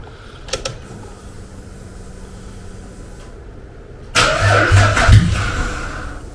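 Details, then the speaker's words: Jeep Liberty first start after fuel tank relocation: silence, then cranking, catching and revving to a harsh, loud roar like a derby car; far louder than it should be, cause not found. "sounds like a dang on derby car way too loud and holy cow it's Fe me"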